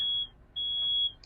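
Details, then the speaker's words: Mercedes Vito wheelchair-accessible van conversion with the side lift deployed: a clean high-pitched beep repeats about every half second for as long as the lift is out; a normal warning. "So that beeping noise, you will hear that the entire time that our lift is out."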